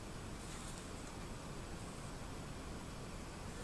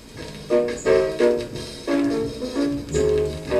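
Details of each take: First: Vintage 1960s Newcomb 1625M tube record player/PA amplifier, probably near 50 years old, powered up through a series light bulb: filaments glowing, high voltage apparently present, only a faint steady speaker hiss with no hum or crackle; normal slight amplifier hiss. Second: Vintage 1960s Newcomb 1625M tube turntable/PA amplifier run through a series light bulb: music harsh, fuzzy and barely tracking the groove; stylus worn to a nub, though owner wonders if the reduced voltage is to blame; distorted playback from worn stylus.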